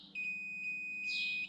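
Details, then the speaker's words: R53 Mini that won't start after refuelling: a single clean, high-pitched multimeter continuity beep lasting about a second as the probe touches the engine, confirming a good earth point for electrical testing. "the important thing is is that you should hear a beep so just a quick test we've got the multimeter on you can hear the beep so i've been using this as an earth"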